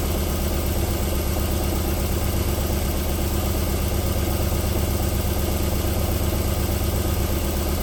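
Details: 1994 Alfa Romeo 3.0 24v QV, cold start: even, steady idle with low smooth pulse and no knock or tick; knocking returns after about four minutes warming up.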